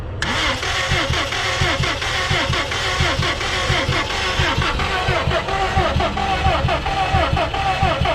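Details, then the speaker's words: Salvaged crashed 2015 Subaru STI with a fresh battery swapped in: steady even cranking, never fires; crank no start, owner suspects a crash safety fuse or cutoff. "so unfortunately we weren't able to start it seems like it wants to go but we think it could be a some sort of safety thing when you crash these cars that fuse breaks and you can't start it"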